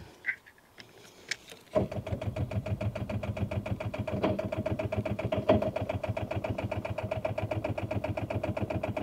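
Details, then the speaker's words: Rover 800 abandoned for 15 years, last attempt after being dragged; steady even starter churn about four compressions a second, no firing; smoke seen near turbo, owner thinks it's trying to fire. Crank, no start. "That is not starting."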